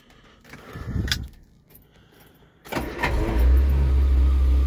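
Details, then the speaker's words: Barn-find 1975 Vauxhall Viva, sitting for a while, started with choke; quiet handling, then starter catches and engine settles into a steady, even low idle without stumbling; healthy cold start. "thank you like a baby pussycat"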